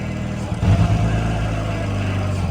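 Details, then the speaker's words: Toyota MK3 Supra at its first start after purchase, muffler cut off: loud, deep open-pipe exhaust rises sharply on throttle blips, then holds a steady strong rev. Engine sounds healthy, though it still needs fresh gas, an oil change and clutch cylinder work. "yeah looks like it's moving slow but that thing moving fast she sounds good y'all give her a nice little red for you"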